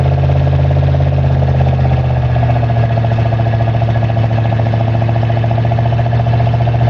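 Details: 1985 Chevrolet Monte Carlo SS V8 cold start, car sat 14 years, burns oil, electric choke broken: low uneven knock about three to four beats a second under rumbling idle; source uncertain, possibly a rod.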